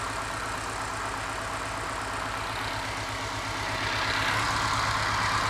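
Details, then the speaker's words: Test engine at idle, missing on one cylinder with excellent compression and no smoke: an uneven pulse that stumbles, briefly fires on all cylinders and gets louder. The owner suspects a sticky valve or spark; intermittent misfire, not confirmed. "Definitely missing on one cylinder. I've done a compression test and the compression was excellent, so that rules out a valve actually."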